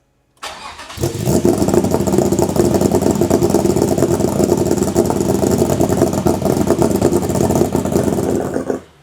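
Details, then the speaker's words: Toyota MR2 with V6 swap on a Haltech ECU, running on half fuel. Lumpy, choppy idle surging about three times a second; failed-throttle limp mode (no pedal wired) suspected of cycling to hold 1700 rpm, not confirmed. "So I think it might be doing kind of a rotational idle to maintain 1700 RPM to not go above that. I think that's what we're hearing."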